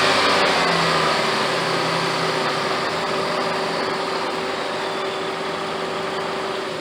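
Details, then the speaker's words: 2008 Jeep Grand Cherokee Laredo 4x4 3.7 V6, after replacing tensioner, idler pulley and serpentine belt: engine runs smoothly, steady even note, no squeal, chirp or rattle from belt area; much quieter than before. "oh she's definitely quieter boys listen to that listen to that engine purr"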